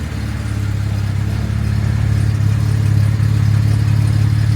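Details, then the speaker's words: Jaguar MKII straight six just after first start following reassembly, carburettors not yet tuned, running a little rich: steady, even low rumble with a regular lope and no knocks or ticks; normal idle. "And I haven't tuned the carburetors yet. But I can tell you, ooh, wow, that's a little on the rich side, boys."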